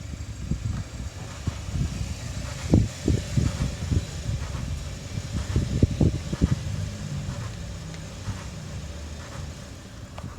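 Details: 2013 Kia Optima SXL: irregular dull creaks and short groans over a quietly running car, bunched between two and seven seconds; source unclear.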